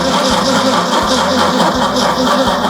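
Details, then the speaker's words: Truck build first start attempt on Optima battery: slow, labored cranking with heavy strokes about every 0.7 seconds, never catching; slow cranking, owner suspects weak battery. "i might have to charge this freaking battery man probably not it's one of those optimus don't buy optima batteries they are junk crank it again"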